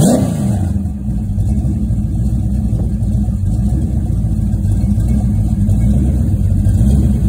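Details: Rebuilt 1970 Pontiac GTO 400 (bored .030", KB pistons, ported #13 heads, Crower 60916 cam, Johnson lifters, 800 CFM Quadrajet, Ram Air manifolds, FlowMaster Super 44 mufflers) on run stand outdoors: deep even V8 rumble climbing cleanly with throttle, no ticks, knocks or misfires; normal running and revving.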